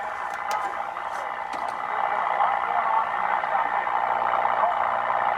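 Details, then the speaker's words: Restored Philco 38-7 radio on the AM broadcast band: steady raspy hiss and crackle over the station with no clear rhythm. Interference swamping reception, possibly from a running furnace nearby. "i don't know there's a very good chance that that noise you're hearing is my furnace unfortunately it seems when that thing is running it throws a lot of noise"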